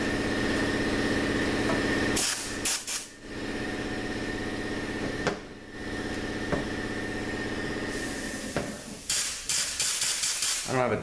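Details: 2012 Ford E-150 4R70W transmission during assembly, direct drum air check with seal rings: short sharp air hiss bursts, each with a firm clunk as the clutch applies, little leaking between; good, tight clutch air check.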